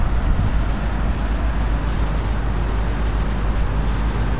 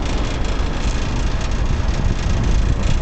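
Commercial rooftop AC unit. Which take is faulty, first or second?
second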